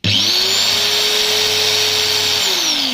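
High shrill whine spins up, holds steady and winds down, with a harsh gear rasp over it; gearbox running without grease.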